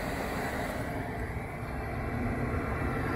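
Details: Diesel heater after cleaning (soot suspected, clogged atomizer screen likely the cause), glow plug off, drawing 0.5–0.6 A: steady low roar from the exhaust with an even tone, no sputter, pulsing or rattle; normal running.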